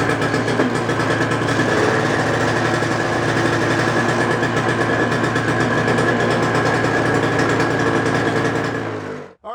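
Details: Toro snowblower in about 26°F cold after carburetor cleaning repair for stale fuel from summer storage: steady, even small-engine putter at constant pitch until shutoff; runs properly with no stumbling.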